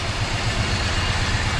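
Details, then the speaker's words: 1973 Dodge Dart Sport V8 idling with a regular stumble, apparently two dead cylinders (including number seven) despite spark, correct firing order and unstuck lifters; owner suspects piston rings, compression test pending. "so uh looks like i may have a couple of dead cylinders from the piston rings most likely so"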